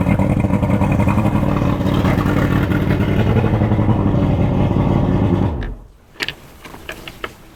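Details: Boat outboard started during pre-season checks, after a swap from NGK to Champion plugs gapped at 0.030 in: a steady low rumble with even firing for about five seconds, then a clean shutdown. It sounds healthy.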